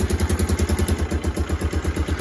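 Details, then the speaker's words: Kawasaki KLF300 Bayou 4x4 ATV, first start in two months, choke turned off: lumpy thudding idle about eight pulses a second with loose rattle each beat; horrendous misfire coming off idle, owner suspects timing; spark plug, coil, lead also suspected. "So we're back to this kind of, sounds like a horrendous misfire when what? When it comes off of idle. Seems like timing."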